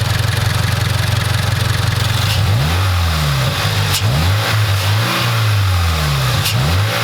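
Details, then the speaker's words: Subaru BRZ 2.4L boxer just after K&N Typhoon air intake install, no dash lights: steady idle then several clean blips up and down with throaty intake note, no misfires; engine healthy. "Alright, it's finally installed. I can hear the difference."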